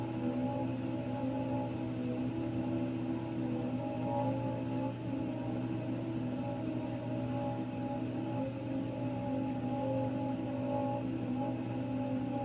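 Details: Raypak 106A heater: a constant droning whine of several steady tones that hold their pitch; whining again, cause not yet pinned down.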